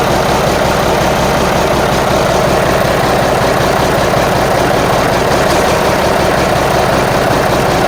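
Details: Marmon 57P Aero truck, newly installed diesel engine at first start after fueling injectors: heavy idle with lumpy, uneven beat and dropped firing pulses; sounds like it's missing, cause unconfirmed.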